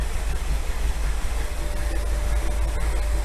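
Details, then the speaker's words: Long-stored 1957 Chevrolet V8 with a lumpy cam at low-rpm idle, 35 psi oil pressure, temperature low, electric fans running: deep, lumpy, loping idle with the engine shaking. Attributed to the carb needing adjustment. Rough idle. "I mean, obviously the engine's shaking because of the carb, but all good."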